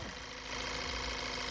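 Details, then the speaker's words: VW GTI with the intake manifold swapped for a spare with good injectors, after a leaking injector caused a no-start: steady, even idle with no misses. It is running well. "So I just swapped it out. Running good now."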